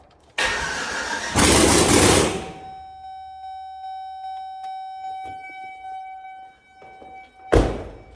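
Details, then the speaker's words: Junkyard LS V8 in the Turborado after fixing a bad ground under the intake manifold, no exhaust manifold, open turbo, no downpipe: short crank then catches with a loud open roar and settles; starts readily. "No manifold on, but she's gonna start, baby. Okay, that's close enough."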